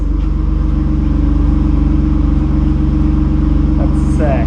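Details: BMW E36 M3 six-cylinder with newly fabricated, tack-welded custom exhaust fitted for noise complaints, idling: even, steady idle with a soft low burble and no knocks or rasp; much quieter exhaust.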